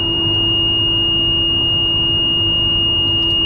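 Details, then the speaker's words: Airport sweeper truck with Sweepster front broom at startup: a steady high-pitched low air pressure warning beep sounds over low engine rumble with air below about 80–90 psi; revving the engine builds air faster until the alarm stops. "you're going to hear that beeping sound that's for a low air pressure as you can see right there i'm below probably about 80 90 psi"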